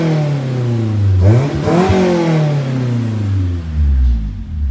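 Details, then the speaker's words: Honda S2000 that runs well, quick free revs: crisp climb and clean drop with a deep, even Flowmaster-muffler exhaust note and no knocks or misses; healthy engine. "sounds pretty damn good anyways it's like some Flowmaster mufflers with some random tips on it"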